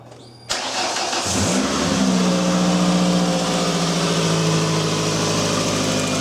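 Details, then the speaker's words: 2001 Ford Escape 2.0L after fuel pump and fuel filter replacement, cranked in neutral: short crank, catches straight away and settles into a steady, even idle with no misses or knocks; it starts healthy. "that's gonna wrap this one up it just sounds pretty good crank right up"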